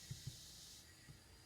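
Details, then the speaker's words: 1984 Toyota 22R, 200,000 miles, sat for years, running rough with low compression: cylinder 3 pressurised at top dead centre, steady airy hiss from the breather, not exhaust; piston ring blow-by, all four cylinders leaking. "you can hear it when i put my hand over here it came out of the breather not the exhaust it's definitely getting by the rings"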